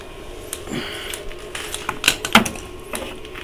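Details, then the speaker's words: Free Dometic Americana RV fridge trying propane mode: sharp irregular igniter ticking snaps, no flame whoosh, no gas smell; control not signaling fuel on, shows "check", suspected not confirmed; electric mode works on auto. "I don't smell any gas. Really trying hard to work on gas, and it's just not getting the signal to turn on the fuel."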